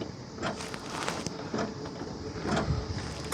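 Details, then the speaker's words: Long-sitting Nissan Patrol G60 (J60) lawn ornament, trying to idle on choke: coughs and stumbles in uneven bursts, never holds steady idle; owner thinks the carburettor is cooked and needs a rebuild kit or cleaning. "I think this carby's cooked, so we're going to have to get on the hunt for a rebuild kit"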